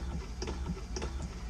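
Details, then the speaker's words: Vacuflush toilet after duckbill valve replacement: water passes, then soft steady ticking about twice a second over a low hum as the vacuum pump builds tank vacuum, about 30–40 seconds to pressurize; normal vacuum pump operation. "You can hear the water going through. And then when you hear it clicking like that, that's pretty much the water is empty out of that first holding tank."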